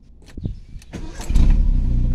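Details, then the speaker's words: VW Gol quadrado with CHT engine, after fine idle-mixture and idle-screw adjustment, key barely turned: a few clicks and a short crank, then it fires first try and settles into a steady, even idle; normal first-try start, well tuned. "é que já vi um carro desse jeito um carro antigo desse jeito pegar de primeira cara é top demais ó meia a chave ó só encosta a chave o carro já funciona bem regulado viu"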